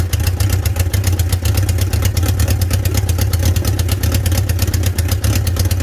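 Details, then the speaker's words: 1976 Honda CB550 four-cylinder, just reassembled, no muffler: loud rough running with fast crisp high-pitched ticking over the exhaust roar; owner suspects exhaust leak at headers from forgotten copper crush washers. "the engine fires but it's extra loud because in my haste i forgot to install those little copper crush washers at the exhaust headers so i reckon it's making that exhaust leak noise you know high pitch"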